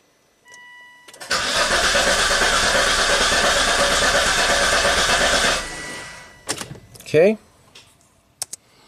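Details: 2004 Volvo XC90 with crankshaft position sensor signal problem, ECM-5200 DTC set while cranking and injector pulses missing: starter cranks steadily about four seconds but engine never fires. Long crank, no start.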